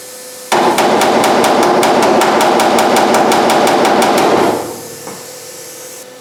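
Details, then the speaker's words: MIG welding cross rail (inner tail panel) on a 1972 Camaro: frying crackle with sharp uneven pops, welder spitting because epoxy left on the back side contaminates the weld, not welder tuning; weld spatter from contamination. "Every now and then you'll hear that welder cut up and spit and sputter just a little bit, carry on. And it's not that the welder's not tuned in right. What it is, there's a couple places on the back side that I removed the epoxy"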